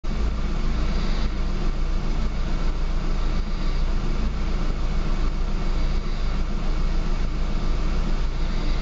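Low, uneven idle with a lumpy beat about twice a second that never settles; the engine is idling rough.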